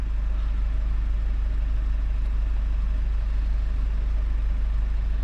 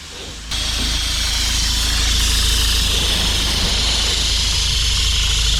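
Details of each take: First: 2017 Mazda 6 2.2 Skyactiv diesel, after turbo divert valve repair, DPF cleaning and successful regen: smooth, even low diesel chatter at a steady pace, no knocks, surges or whistles; healthy idle. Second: 2017 Mazda 6 2.2 Skyactiv diesel at idle, DPF pressure sensor hoses disconnected: a loud, constant hiss of exhaust pressure from the hoses, while almost nothing comes out the tailpipes. The DPF is blocked, with a low boost pressure fault.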